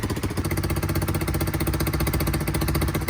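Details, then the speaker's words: Low-mileage Honda CBR125 restoration after long storage: small single runs uneven with popping raspy beat and some exhaust smoke; exhaust gasket thought missing, causing leak, not confirmed. "it's not been run for a long time so there will be a bit of smoke and stuff coming out of the exhaust but that will calm down"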